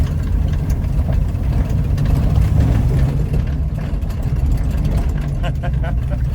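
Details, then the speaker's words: Ford Capri 3.0L V6 race car replica on its first drive after 20 years stored, recorded from the back seat on a bumpy field: even, steady engine note under light load, no knocks or misses; good oil pressure and charge, running healthy. "Good oil pressure, good charge, fuel in it. Lego job."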